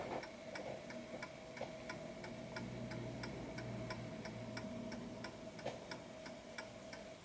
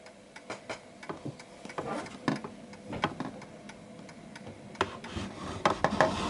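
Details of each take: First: Antique Westminster chiming clock with a silent function, tested before posting: a crisp, evenly spaced tick-tock at roughly ninety beats a minute with no skipped or lopsided beats; the clock is in beat and running properly. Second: Antique Westminster chiming clock: uneven tick-tock at about three beats a second, one beat landing closer than the other from a lopsided wobble; out of beat, needing its center of gravity found.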